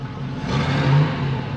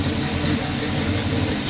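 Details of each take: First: 1978 Pontiac Formula Firebird 350 V8 with a stock two-barrel top end. Deep muffled rumble swells on a brief rev, then settles, sounding choked and flat; restrictive exhaust from cast-iron stock manifolds into a single collector, single pipe, muffler and tiny split duals. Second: 1978 Pontiac Formula Firebird 350 V8, after fitting a 600 CFM Edelbrock carburetor in place of the Holley: crisp blips rising and falling cleanly from steady idle, snappy response, good condensation. Normal running.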